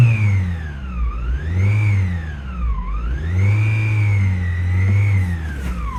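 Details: 2016 Toyota Camry with a weird engine noise: a clear whine that rises and falls with engine revs over the running engine; source not pinned down.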